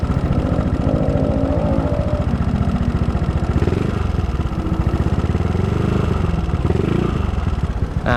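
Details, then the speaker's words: Yamaha Mio 150cc bore-up with new R2 FX Racing camshaft, valve springs, seals and caps, valve clearance 0.05, cam chain not replaced: busy top-end clatter through light revs; owner suspects old cam chain, cam character or other worn parts. "itu ya guys suaranya menurut gue sih masih agak berisik ini Entah karena rantai ketangnya enggak diganti atau memang karakter noken as-nya tuh seperti ini guys"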